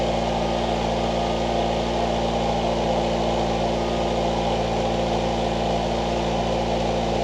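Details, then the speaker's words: 1989 Ford Mustang Fox 4-cylinder, after injector cleaning/rebuild and a new home-welded, leak-free exhaust, before idle adjustment (was idling extremely high): steady, smooth idle rumble, no puffing or ticking from pipework; normal idle. "got all this in and straightened so the exhaust is complete it doesn't leak and it sounds pretty good so I'll go ahead and drop it and do a reveal all right"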